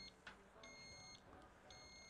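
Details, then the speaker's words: Kovix KVH 96 alarmed trailer U-lock, armed on a boat trailer: moving the boat gives a short chirp, then two sustained high shrill beeps a second apart, the second motion warning before the 120 dB full alarm. "so if we're going to try and move the boat you get a warning beep if we continue to move it we'll get a second one"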